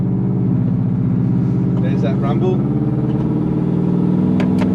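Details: Compound-turbo Subaru Forester driving under boost: deep throbbing rumble over the engine as boost builds and holds; compressor surge also noted, owner suspects a leak, source unconfirmed.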